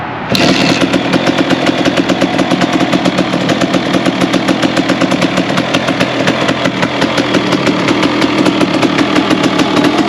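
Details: KTM 300 two-stroke dirt bike, first fire-up after full rebuild (rebuilt forks, new Hinson clutch and spring plates): crisp, even crackle fires straight up and settles into a steady clean idle; sounds healthy.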